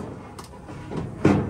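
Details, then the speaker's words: Washing machine with the drum rocked by hand, motor off: a few dull thuds and one heavy bang; the shock-absorbing suspension cords are corroded and broken. "the reason why it's doing that is because the shock absorbing cords are corroded see how they broke"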